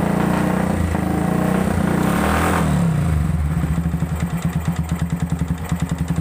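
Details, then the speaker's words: Yamaha Vixion with failed water pump seal, radiator run dry and coolant mixed with oil, before repair: rough, clattering engine with a heavy knock about three times a second at low revs; likely cylinder block damage from overheating. "Bunyinya kasar karena ini apa, air radiatornya kering. Ini paling-paling sih water pumpnya yang rusak. Ini kan tadi suaranya kasar banget, ngaklak banget."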